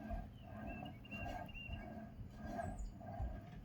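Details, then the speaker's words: Rear wheel bearing on a Toyota Tundra: a rough, pulsing growl with a gritty, scratching hum, rising and falling about 1.5 times a second; worn-out wheel bearing. "you will not hear this kind of noise this is a bearing worn-out bearing"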